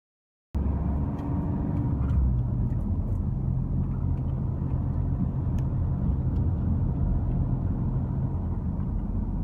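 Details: Vauxhall Insignia 2.0 diesel (A20DTH): random low droning moan with steady rumble and vibration, a common wastegate vacuum fault, fixed by fitting a vacuum reservoir inline with the wastegate actuator solenoid valve.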